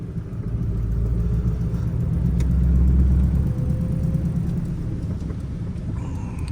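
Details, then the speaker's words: Manual-swapped 2011 Ford Crown Victoria (3.27 rear) on its first drive after sitting, with old fuel and a slight engine stumble: a low droning rumble with an uneven throb and felt driveshaft shake. Worn driveshaft center (steady) bearing. "oh yeah for sure you can hear that feel that drive shaft Shake yeah oh that's what it is that's what it is steady bearing a shot"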